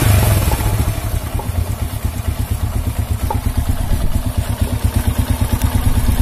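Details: Honda C100 (Grand) motorcycle with rough engine noise and sluggish pull: uneven gritty thrumming with irregular beats at idle and light throttle. Source not yet found; cam chain and clutch side later opened for inspection.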